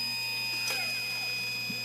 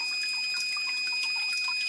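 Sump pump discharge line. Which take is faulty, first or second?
second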